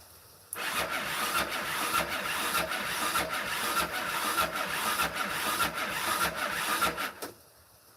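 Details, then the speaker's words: Yamaha Raptor 660 (2001-2006) cranking at wide open throttle with a compression gauge in the spark plug hole. Uneven, lazy cranking under two beats a second with no catch; reads only 50 psi, low compression. "That's it. 50 psi. That ain't good."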